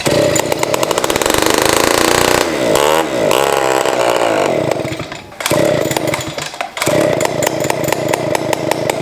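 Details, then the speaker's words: 1970s ARCO 3533 vintage mini bike, small two-stroke running without a muffler: loud, raspy, smoky buzz revving up and dropping back with the throttle, pulling cleanly; sounds better than expected. "so smokey that actually didn't sound nearly as bad as i thought it was going to be with all things considered that little turd of an engine like seems like it wants to go"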